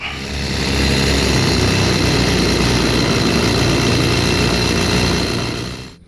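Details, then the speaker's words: Echo CS310 chainsaw after carburetor replacement and tune-up, previously wouldn't start, idle or cut: steady, even two-stroke buzz with no stumbling or surging, cuts off cleanly; normal idle, fixed. "All right, after a little tuning up, we got our CS310 Echo fixed up."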